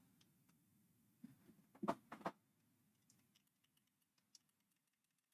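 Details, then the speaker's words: Faulty clothes steamer switched on with power board reconnected, lights showing heating: a few light plastic clicks and faint ticks over near silence, no pump buzz or hum; pump not running, cause not yet found. "So still nothing happening there. Okay, it doesn't look like we get anything."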